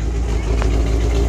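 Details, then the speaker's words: Cadillac ("caddy") engine started on choke fires right up into a deep, steady idle with an even low rumble, no misfire or ticking. Owner is still chasing fuel filters that keep plugging and a faulty tank sending unit. Normal idle. "Fires right up. That's nice."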